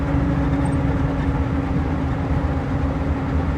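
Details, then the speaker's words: 1977 Chevy G20 van with four-barrel carburetor, driving around 50 mph: steady mid-pitched whine over road rumble when lifting off throttle, louder at lower speed; sounds central, owner suspects rear axle, tires and transmission doubted. "Slower I go and let off the gas, more you hear that deceleration whine."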